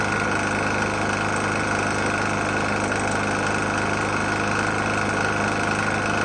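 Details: Murray E450 mower, Briggs & Stratton engine, oil found nearly empty and topped up, restarted after running out of gas: a rough, uneven rattle-knock of about four beats a second over a buzzy idle; sounds badly worn, cause unknown.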